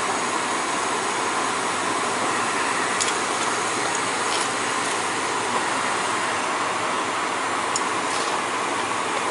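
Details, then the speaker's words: Gas boiler after flue vent damper replacement with end switch fixed, running during Testo 320 combustion test: steady, even rushing roar, no pulsing, rumble or rattle; combustion numbers fine, running normally. "so far so good it's looking pretty good to me all all them numbers look fine to me in the combustion so we're good with that"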